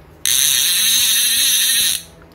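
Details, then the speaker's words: Ajiking Rome LV200 fishing reel, after service fixing a misplaced washer that caused a heavy, stiff spool rotation: rapid, even, crisp clicking as the spool pays out; clicker works properly and the heavy rotation is gone. "clicker masih bagus suaranya. Nah, putaran berat tadi udah hilang."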